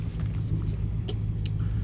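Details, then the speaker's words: Old Dodge truck, idle just adjusted by about a 270-degree turn, warming up on a drive around the block: steady, low, even engine rumble with no knocks or misses, smooth and shifting well. Normal running. "it's got jeez this thing is smooth it's nice shifts great yeah yeah yeah just going around the block"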